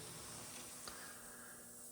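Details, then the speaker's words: Pickup on air suspension: steady hissing bleed of escaping air with nothing mechanical behind it; suspected leaks at push-in hose fittings or the bags, not confirmed. "sounds like every single bag or fitting is leaking because I can hear it up here too"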